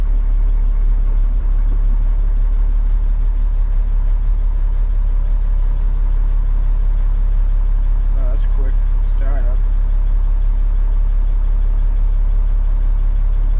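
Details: Caterpillar 3126E diesel truck that lost power with a skip, after the bad injector found by a cut-out test was replaced: steady, even rumble at idle with no misses, knocks or hunting; it runs smoothly.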